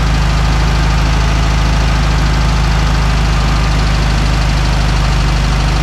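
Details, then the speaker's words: VW Beetle flat-four running again after the spark plug wire firing order mistake was corrected: a deep, even idle with a steady, unbroken beat and no skips or knocks, running smoothly and healthy. "well folks sounds like a VW"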